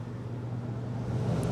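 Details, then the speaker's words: Air conditioner outdoor unit after replacing a blown disconnect fuse: only the fan whoosh and low hum, no compressor drone; compressor not starting, being checked for capacitor, wiring or compressor fault. "Oh, I heard the fan, but I don't hear the compressor. That is not good."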